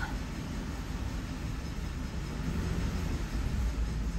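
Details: Car on a hoist with wheels spinning in the air at road speed (about 30 mph targeted): a loud, steady low droning rumble under the drivetrain noise, consistent with a worn front wheel bearing.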